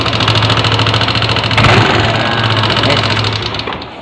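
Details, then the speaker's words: Early-generation Yamaha NMAX scooter engine idling: loud, rough idle with fast, ragged ticking about three per second; on inspection a rocker arm bearing was found broken, a worn rocker arm bearing. "Walah goblok parah guys goblok Parah ini kalau kita lihat ini jebol ini klaharnya bearingnya jebol ini satu ini"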